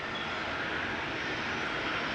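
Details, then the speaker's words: Jayco Jay Feather 25RB travel trailer electric awning extending until the flap drops to 90 degrees: light, even motor whir with soft hiss, no catching, grinding or stalling; normal awning operation. "Run it out till that flap falls down to 90 degrees, and that's about as far as you want to come out."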